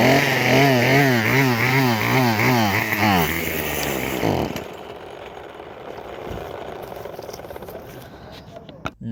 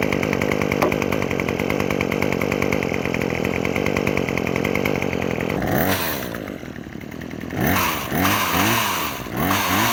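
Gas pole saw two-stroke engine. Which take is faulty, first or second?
first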